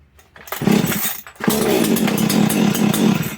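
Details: Makita EA3202S/EA3203S chainsaw just after starter ratchet replacement, full fuel tank, primed, on choke: pull cord rasps, then it fires and buzzes steadily about two seconds, catching cleanly. It previously started poorly, ran 5-10 seconds, over-revved and died.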